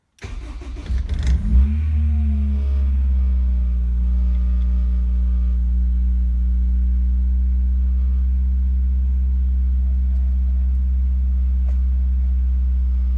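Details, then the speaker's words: Honda F20C-swapped Ford Cortina GT, cold start: starter whirs, engine catches and flares, then holds a smooth steady high idle, set for about two and a half minutes before dropping to about 1000 rpm; normal cold start. "hit the start button and it'll set kind of a high idle for about two and a half minutes and then it'll drop down to about a thousand"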